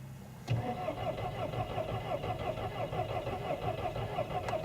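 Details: 2005 VW Golf V 2.0 FSI after a booster pack was connected in reverse polarity to its flat battery: starter spins steadily at about ninety beats a minute but never fires; a crank no-start.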